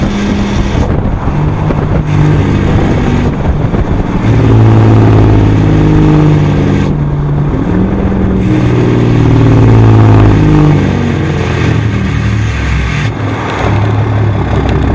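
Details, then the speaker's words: Dodge Ram 6.7 diesel with weak exhaust brake and code P0472 exhaust pressure sensor low, road test after replacing the sensor: loud steady drone with deep exhaust note as truck slows; exhaust brake now working at full capacity. "On the old sensor you could still hear the exhaust brake coming on, you could hear the change in the exhaust, but really there was no slowing the truck down, it was just sound. So hopefully we get more sound and it actually works this time."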